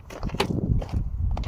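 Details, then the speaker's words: 2006 Dodge Dakota 4.7L 4x4 (no-crank and overheating complaint), test light on main starter wire: sharp single solenoid clicks with no cranking, light stays lit; likely failed starter, possibly a bad ground. "pretty sure we got a bad starter here, guys. The only other thing we could have is maybe a bad ground."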